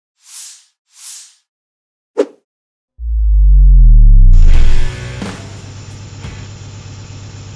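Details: Contract Mitsubishi 4B11 engine, number 49290, first start on test stand for compression check: after short start-up whoosh, settles into even, steady hum with no knocks or misses; running healthy.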